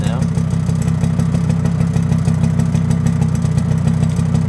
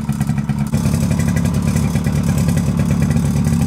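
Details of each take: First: Suzuki LT50 two-stroke quad, probably a 1998, first start after 5 years: even, smoky burble at a steady idle after tickover was turned down, warming up after a couple of minutes running, no misses or hunting. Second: Suzuki LT50 two-stroke quad started after sitting 5 years, running on choke; uneven metallic clatter over a fast, rough idle comes from the clutch springs. Slightly smoky, probably from the added two-stroke oil.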